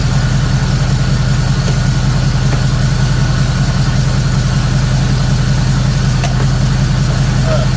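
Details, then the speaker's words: Third-gen Camaro small-block Chevy V8 with new Summit computer after checking timing at about six degrees, running with an uneven lumpy pulse that never smooths; still not right, timing chain to be inspected. "it's better than yesterday but it's still not right"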